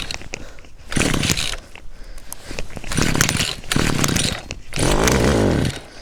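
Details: Cheap two-stroke string trimmer, about six or seven years old, after ignition coil tested, cleaned, air gap set and reassembled to fix no spark: on choke it catches and revs in short bursts, then holds a buzzy run between blips; starts and runs normally.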